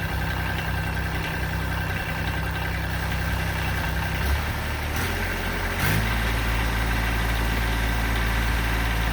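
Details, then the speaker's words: Kubota D905 3-cylinder diesel in a 2006 Kubota BX23D, started after a valve adjustment with a 4-second glow plug: even diesel clatter at steady idle with a speed change, no irregular knocks. It sounds much better. "so we ought to be ready to start and run and see what this thing sounds like"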